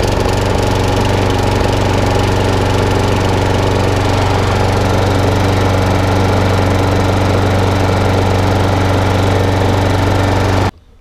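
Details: Electric-start mower after a partial service, battery charged and primed with about 10 pumps, started off the key: small single-cylinder engine runs steady and even at constant speed with no misses or knocks, then cuts off cleanly; normal running.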